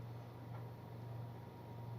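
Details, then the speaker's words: Car with an engine vibration problem; idling with the AC off, a water glass on the seat, before the AC (with an older compressor) is switched on. Quiet, steady low hum with no knocks or shudder, no vibration felt. "Vibration சுத்தமாக இல்லை எனக்கு. ஸ்டேரிங்லேயும் சரி, சீட்லேயும் சரி, சுத்தமாக vibration வந்து எனக்கு தெரில."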